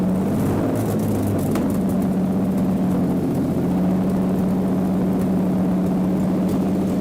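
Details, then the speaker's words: Mercedes V12 swapped into a Lambo replica, running on four ECUs, first start: deep steady low hum holding even pitch with a few early crackles, popping and flames; smooth healthy run. "are you hearing this now it sounds like an actual lambo [Music] it's shooting flames and popping"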